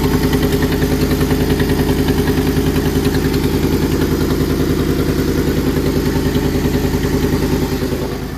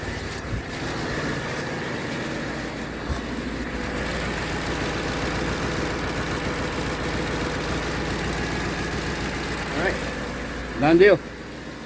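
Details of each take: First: Ford F-150 5.4 Triton 3V V8 before repair: sharp even puffing tick at idle, three to four per second over the rumble; exhaust manifold leak from broken studs. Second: Ford F-150 5.4 Triton 3V V8 after exhaust manifold and broken stud replacement: steady, even idle with no ticking or puffing, very quiet; normal idle.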